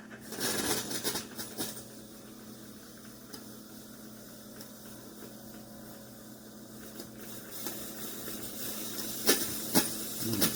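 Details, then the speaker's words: Chefman single-serve K-Cup coffee maker with 40 oz rear reservoir, starting a brew: soft steady hiss with faint uneven pumping pulses and a few spurts, not the normal quiet fill; it then shut off early with water still in the reservoir. "Pretty sure it shouldn't be doing that either. Unbelievable."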